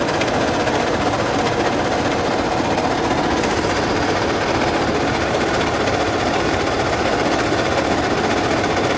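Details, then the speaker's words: Toyota 1GD/2GD diesel at idle: constant rough whirring rasp over the diesel clatter, steady; the noise is traced to worn alternator bearings, not the engine. "o mga guys issue ng 1gd 2 DJ alternator ano alternator noise o kaya bearing maingay sige"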